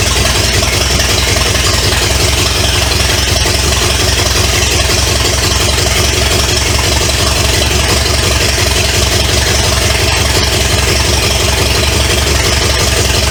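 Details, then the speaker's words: 1970 Pontiac LeMans with Pontiac 350 V8, first start after sitting decades: loud, raw, uneven-sounding burble straight off open manifolds but no knocking underneath. Smoke is from oil put in cylinders to unstick rings. Normal idle. "but uh yeah it don't it don't sound bad I don't hear any uh knocking or anything"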